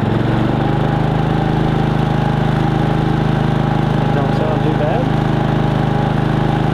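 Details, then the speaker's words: Harbor Freight Predator 3500 inverter generator on propane via a Nash tri-fuel conversion kit, switched to eco mode after a heater-load test: a steady, even low hum with no misses or knocks, running normally at reduced speed. "now that was running not on eco mode let's switch it over to eco mode see what it sounds like here eco mode down a little [Applause]"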